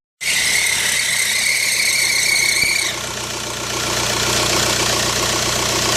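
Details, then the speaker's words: 2005 VW New Beetle TDI at startup, AC off: sharp high serpentine-belt screech over the diesel that fades as the belt warms, then rough clatter, worsening over time; the new belt didn't cure it. Cause: replacement alternator with a badly bent shaft and a weak original tensioner pulley. "it is just being a little noisy upon startup you just hear it screeching and until obviously the belt gets kind of hot or warm and then you know then it kind of goes away but it's getting worse and worse"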